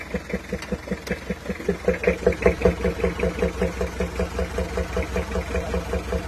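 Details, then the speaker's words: Compression leak at the valves on a Toyota Kijang diesel: bok-bok puffing at the air filter about 2.5 beats a second over idle, worse on cold mornings, with blow-by; valves to be readjusted, engine overhaul planned. "Nah, ini kompresinya bocor di klepnya. Jadi besok kita perlu setel ulang ke semua klepnya."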